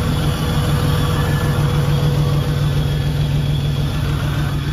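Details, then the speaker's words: Rock crawler with hard-starting problem, fuel pressure tester fitted: after running rough and smelling of fuel on startup, engine cleans up to an even low idle with steady beat, no misfire or knocking. "cleaned up it only does this on Startup after it does that it acts fine"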